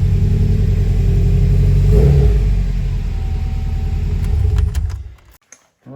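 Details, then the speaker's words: Rebuilt Subaru WRX engine's first start after rebuild, primed by cycling fuel pump after oil light cleared: catches at once, swells briefly, settles into deep even idle with no knocks or misses; healthy, no leaks underneath. "car fired up perfectly"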